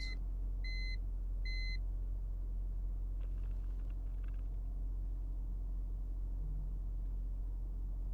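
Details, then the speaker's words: BMW E46 idle after cleaning the MAF and idle air control valve and replacing a broken PCV breather hose (vacuum leak); low, smooth, steady rumble with no hunting, settling at normal idle instead of the former roughly 1000 rpm. "Honestly, it seems like it's pretty good. Oh, it's finally at a normal idle. Usually it was sitting closer to like the 1000."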